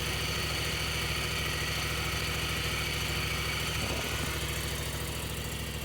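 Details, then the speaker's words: Zero-turn mower after hydro belt replacement and tensioner set: engine humming steadily, belt not rattling, slapping or squealing; tension correct. "it's not you know rattling or shaking or anything like that so when it's like that that means you're pretty good on the on the tension"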